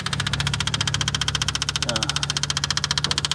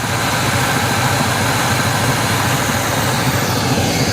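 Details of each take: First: 1979 GMC Caballero abandoned 8 years: even starter cranking at about four compressions a second with no firing; owner suspects it isn't pulling fuel, later finds fuel dumping into intake and fears hydrolock — cranks but won't start. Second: 1979 GMC Caballero V8 sitting eight years, revived: deep, even idle with steady rumble, no misses, knocks or ticks, alternator charging; mechanical fuel pump found leaking afterward.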